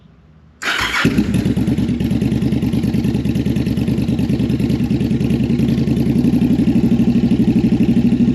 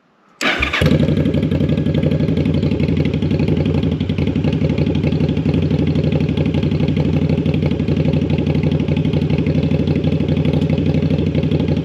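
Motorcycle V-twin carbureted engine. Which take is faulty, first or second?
first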